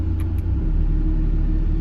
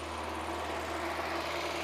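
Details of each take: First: Mazda Miata after the idle was adjusted to about 850 rpm, with the AC switched on: steady, even low idle that steps up rather than sagging under the compressor load. No stumble; it handles the extra load fine. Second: Mazda Miata after timing set, AC recharge and fast idle valve work: smooth engine idling steadily but far too high, never settling down; owner tries adjusting idle screw, no vacuum leak found, high idle.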